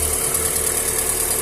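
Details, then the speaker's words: Engine at the first cold start of the day: smooth, even idle with a steady hiss and no ticking or knocking. A noise develops only once it warms and the oil thins, due to wear clearances; Bardahl oil additive is suggested. "e fala galerinha tudo beleza o motorzinho primeira partida do dia tá frio tá"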